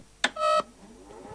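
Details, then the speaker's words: Data East DECO Cassette System board after replacing a bad chip: a sharp click, then a short harsh buzzing tone cutting into near silence instead of booting; no reset signal, sound RAM suspected. "Hear that? It's not working, and it's making an awful noise."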